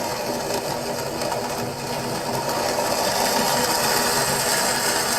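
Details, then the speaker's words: Acrylic centrifugal pump trainer driven by an electric motor via a magnetic coupling: with suction pressure dropped too low, a dense gravelly crackle like rocks through the pipe over the pump hum, from cavitation bubbles collapsing. "sounds like rock literally like rocks going through the pipe and again we cause it by dropping too low over pressure causing flashes to occur and when the pressure rises again the bubbles collapse"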